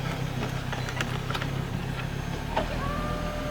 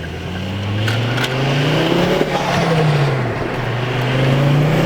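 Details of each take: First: Mk2 Ford Focus XR5 (ST225) with a front CV axle snapped after crossing railway tracks, crawling as the clutch is let out. Low drivetrain rumble with sharp clunks and knocks, severe vibration, and a clunk on every gear change. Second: Mk2 Ford Focus XR5 (ST225) driven after a snapped CV axle was dealt with. The engine note rises and falls smoothly through the gears, with no clunks, and the previous vibration is gone. Something scraping is briefly mentioned.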